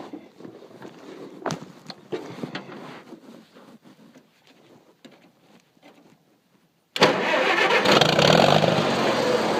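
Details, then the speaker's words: Engine cranking in the dark after all the lights went out: loud, steady cranking that never catches. The owner suspects it is flooded or that moisture is in the distributor cap. "Fuck. Alright, let's sit for a while. It's flooded. Pull that distributor cap off and wipe it. I bet it's got moisture in it."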